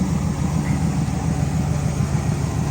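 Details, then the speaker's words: 1970 Pontiac LeMans four-door, revived after 30 years parked: deep steady idle burble, even pulse, no knocks, misses or hunting; runs too good, normal idle. "I'm going to do something with [Music] it it just runs too good to not be stuck down in something"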